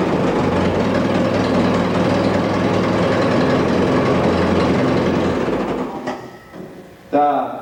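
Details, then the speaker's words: Allis-Chalmers WD45 tractor engine just after complete rebuild, distributor timing set by ear: starts readily, runs steady and even about five seconds with quiet tappets, no tapping or knock, then shuts down; normal running. "it starts up good and it runs good sounds good the taets are quiet and uh all of it sounds pretty good right now"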